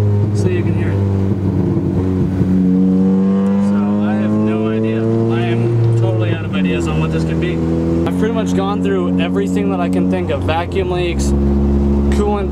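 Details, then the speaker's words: Car with B20 engine, fast idle valve already deleted: pitch climbs and falls unevenly with stumbles when decelerating; still bogging/surging and hiccuping, cause unknown, owner considers deleting the idle control valve. "all right well so far I've had no luck it's still bogging or surging and it's still hiccuping when I'm [Music] [Music] decelerating"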